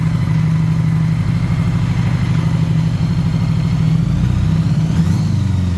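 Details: Honda Goldwing motorcycle, low mileage, sat 5 years, first runs after revival: deep, lumpy idle that wavers and stumbles toward the end; carburetors completely out of adjustment, unsynchronized.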